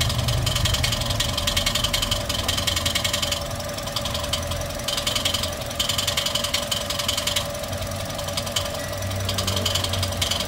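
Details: Toyota 1NR-FE engine with nearly 400,000 on it, idling before repair: fast metallic rattle and ticking steady with engine speed; loud timing chain noise; timing chain later replaced and hydraulic lifters cleaned.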